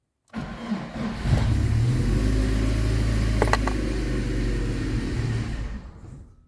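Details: VAZ 2112 after sitting overnight, cold start with clutch pressed and no throttle, unstable running under investigation: engine cranks and catches, runs unevenly with wavering lumpy beat, then stalls within seconds; battery charge light also on.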